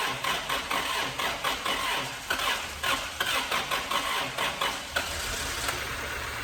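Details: 1999 Toyota Celica 1.8 SR, sitting in a garage about 7.5 years, plugs refitted and fresh petrol added: uneven cranking bursts catch into a light, unsteady running note; engine starts, though the throttle cable is seized.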